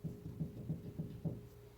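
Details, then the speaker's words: 2012 Ram 3500 4x4 right front wheel, raised and rocked vertically: dull low clunks about every third of a second from a worn wheel bearing, later replaced. "But if we go this way, we can rock the wheel and check for bearing play, and you can hear that."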